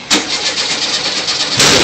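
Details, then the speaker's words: First start of a rebuilt VW Type 3 1600 cc single-port engine: rough cranking with a sharp loud pop at the start and another hard burst later; backfire on start. "did you hear that yeah was your backfire yeah"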